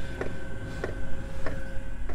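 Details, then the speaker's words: Chinese diesel heater fuel dosing pump in a camper van ticking sharply about every 0.6 s; insulation wrapped over the pump made the ticking louder; normal pump operation. "pop that over the pump and see what it sounds like it's actually made it louder well that didn't work"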